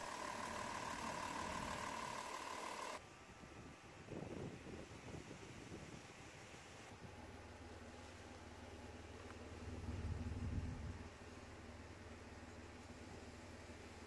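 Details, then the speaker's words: Chrysler Town and Country van with 3.3/3.8 engine after fixing a misfire from a spark wire arcing: steady low idle hum with even beat, no stumbles, running perfectly with no more codes. "after that the van was running perfectly fine and no more codes"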